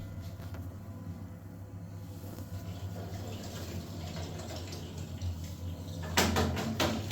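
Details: Gas water boiler: low burner hum with rushing water, then a quick run of very loud, sharp banging from the heater.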